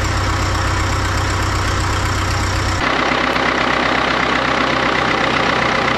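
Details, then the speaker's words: 1939 Caterpillar D4 D4400 diesel idling after its injectors were serviced and refitted: an even, low thumping idle with no knocks, misses or wandering. There is a little pop and one injector has a slight seep, but the wet stacking is virtually gone. "so it sounds good it's got a little pop I got a little bit of a seep on one injector I need to fix up no big deal"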